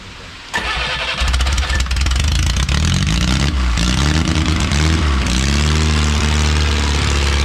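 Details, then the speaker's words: Original Renault 4CV engine (circa 1949-52, welded cracked block) reassembled after ~70 years in parts: brief crank, then the small four catches and settles into a steady, even run that keeps going; successful first start. "hell yeah successful perfecto well i think it's warm enough"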